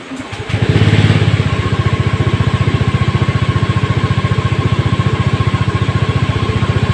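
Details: Honda Scoopy automatic scooter after raising idle to 1600 rpm so the idling stop system works: fires straight up and settles into a steady, even idle with regular firing pulses; healthy engine.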